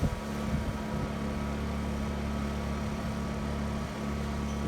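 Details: Honda EU2000i inverter generator, cold start after months unused, eco mode off, warming up at high speed before transfer switch load during winter storm outage, about 35°F; steady even hum, no knocks or surging; normal run.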